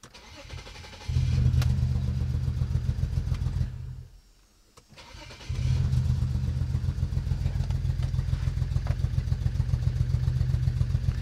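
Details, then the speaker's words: BMW 335i, MSD80 DME after MOSFET replacement: engine catches after a brief stall and settles into a lumpy, uneven low idle; still misfiring on cylinders 4, 5 and 6 with internal DME fault. "yeah it's definitely definitely still misfiring H and the DME says 4 5 and six internal"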